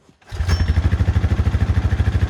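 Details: 2013 Honda FourTrax 420 ATV after water ride, automatic choke fixed by powering it: small single fires up and settles into a steady, even chug around eight beats a second; normal idle.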